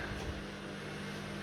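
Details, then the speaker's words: Washing machine on drain and spin: steady, even motor drone with a constant low hum and no knocking or scraping, a normal spin cycle. "yep it's working there you go"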